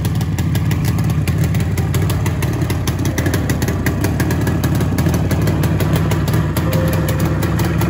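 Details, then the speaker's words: Yamaha RD 350 two-stroke, cold start after rebuild: loud, choppy idle with uneven firing and smoke; it needs tuning, and the owner suspects adulterated petrol with a pesticide-like odour. "Vehicle has to be tuned. I expected this much only in the first start Petrol is adulterated."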